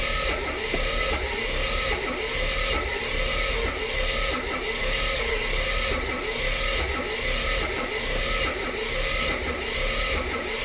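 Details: 1984 Mazda RX-7 rotary cranking but not starting: starter churns with slow even pulse, never fires. Spark good on leading and trailing plugs, timing correct, fuel reaching carb, oil added for compression; owner suspects low compression from stuck seal or too-slow cranking.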